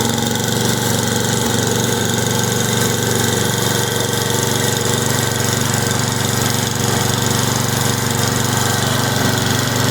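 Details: Simplicity snow blower small single-cylinder engine after carburetor rebuild, cleaning and adjustment, coil and flywheel cleaning, plug gapped, new fuel and primer lines: strong, steady putter with even beat, no misses or surging; running smoothly.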